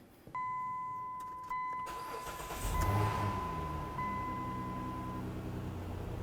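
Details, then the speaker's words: 2009-2020 Dodge Journey after camshaft position sensor replacement and battery reconnection: door chime, a short crank, then the engine catches cleanly and settles into a smooth, steady idle; runs healthy. "yeah listen to that baby purr"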